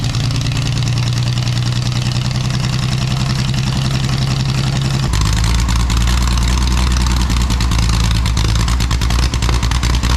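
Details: Scratch-built Jaguar D-Type replica with a homemade exhaust, recorded without its built-in silencers: very loud, raw burble with sharp crackles as revs rise and fall. Fitting the silencers removes the cracking.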